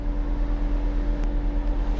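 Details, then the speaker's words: 2024 or 2025 Mazda CX-90 plug-in hybrid with crank-no-start complaint and hybrid codes, key on engine off after PCM codes cleared: steady whooshing roar with constant low hum; radiator cooling fan running at high speed, probably when it shouldn't. "Everything cleared now. But the fan is running at high speed."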